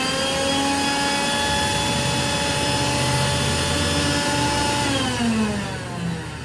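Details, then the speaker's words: Rainbow E2 Gold two-speed vacuum cleaner before rebuild, motor fan area caked in dust: steady high motor whine with a rough, gritty edge that sags as it winds down; lower motor bearing has dried out and lost its grease. "so though I'm sure it would be fine for use I it's kind of an ugly sound and I want to get it sounding the best that I can"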